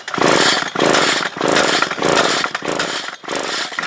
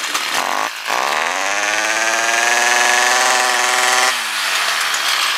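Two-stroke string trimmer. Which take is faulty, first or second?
first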